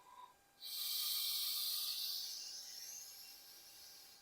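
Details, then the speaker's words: Savage MSR10 rifle after barrel swap, air blown through the ball-detent adjustable gas block and port to check flow: clean, steady hiss fading over about four seconds; gas path open and flowing freely. "Now you know that your gas will flow properly. And on an adjustable, it's a good way to know, well, does the gun even get a cycle when I first shoot it or whatever."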